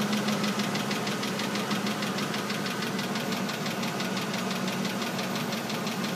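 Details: Oldsmobile Aurora: rapid steady metallic rotational clicking over idling petrol engine, from engine bay and under the car, changing with engine RPM; started suddenly, cause not yet found.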